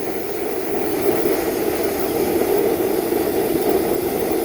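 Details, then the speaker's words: Home-built Kwiky waste-oil burner running on used motor oil mixed with gasoline: constant hollow jet-like roar, no pulsing or sputter; owner suspects too much air pressure (compressor around 120 psi) is keeping it from working properly. "sounds good but I'm beginning to think it's probably because the air pressure I can't get it to work there's too much air going through it"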